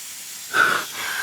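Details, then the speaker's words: Mitsubishi EVO with idle hunting around 2000 rpm, pressure-testing sealed turbo-intercooler-cold side piping in a cold garage: short rush of escaping air swelling and fading; boost leak. "so that's one you see a lot of bubbles coming that's what's interesting is I can hear air coming from the Block valve but I can't see anything see any bubbles"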